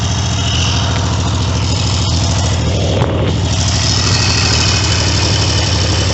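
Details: Triumph T150V triple after top-end rebuild (heads and cylinders off for oil leaks), started second kick: steady even running with firm low thrum and brief rev rise; sounds healthy.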